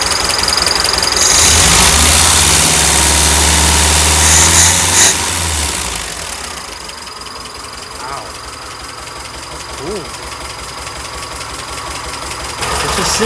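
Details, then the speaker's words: Porsche 914 Type 4 VW engine on a new $100 carburetor, first start: uneven idle with loud hissing air early and a lumpy beat underneath. Running better, but owner suspects a vacuum issue from the setup; new gaskets planned. "yeah I'd say it's running better still sounds like it's got a vacuum issue that could be this thing I don't know if this is going to help at all but this whole setup is probably causing some vacuum issues"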